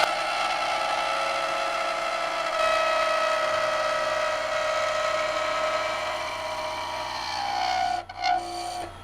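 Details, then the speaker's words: Skew chisel cut on a thin, flexing cherry hair pin spindle on the lathe rasps with a ringing, wavering tone as the workpiece chatters and jumps in the middle, so lighter cuts are needed. "So we're going to have to take much lighter cuts because that was jumping around in the middle there."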